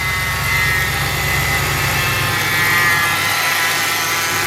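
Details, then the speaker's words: Wrecked 2014 Ram 2500, about 60,000 miles, first start since November: idle with a faint thin high whine riding steadily over the engine, most likely the power steering pump; an exhaust leak also heard. "That started pretty easy for not having run since about November. So it sounds like we've got a whiny power steering pump."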